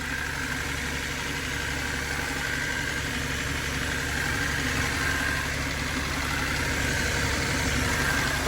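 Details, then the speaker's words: Abandoned turbo Datsun 280Z just rewired and running: fast, even light ticking over a steady idle; owner suspects the injectors but is unsure, source unconfirmed. "I think it's the injectors, but I don't know. I'm going to grab a screwdriver and see."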